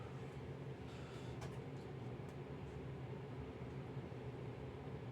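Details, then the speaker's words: Dantherm HCV500 heat-recovery ventilation unit after fan bearing replacement, running at full speed; even steady low hum with no whistle or rumble, the earlier unbearable whistle is gone. "Donc là, ça prend pleine vitesse. Donc elle fait plus son sifflement, qui était insupportable."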